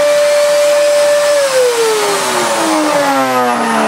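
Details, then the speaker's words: Miele S2111 vacuum after repair of a broken solder joint, power wound up from minimum toward maximum: smooth strong motor whine that drops in pitch, steady airflow roar; runs healthy. "gosh that sounds delightful it does work very very well actually that's not bad at all not bad at all"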